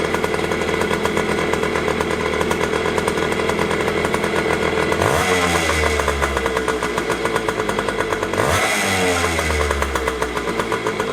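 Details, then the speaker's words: 2001 JR80 five-speed two-stroke dirt bike that wouldn't idle, after carb tuning (air screw 1¼ turns out, idle screw adjusted): buzzy idle, two sharp revs climb cleanly and drop easily to a steady idle without bogging; healthy. "But it sounds good. Like it should rev up like that, nice and high, and then it should slowly drop, but not too slowly and not too fast. It's a nice easy drop down to a nice steady idle."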